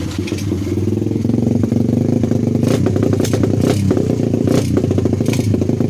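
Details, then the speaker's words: 125cc pit bike after a new muffler pipe was fitted: uneven, stumbling revs with sharp pops and crackles, spitting fire from the pipe on throttle; backfiring and sneezing, owner suspects ignition, which had broken and been restored. "газуешь огнем плюется из трубы"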